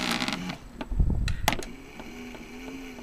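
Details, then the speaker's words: AVC hydraulic bearing CPU cooling fan, before oiling: quick dry rattle then a low hum as it spins down; play in the bearings, rattles intermittently; fixed with 3-in-1 oil. "sure can feel the play in the bearings and it only rattles at certain times but it rattled all morning this morning"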